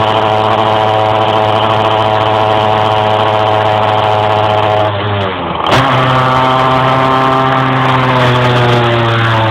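Steady engine drone sags and stumbles for a moment, then picks back up and climbs; hesitation under load, cause not evident.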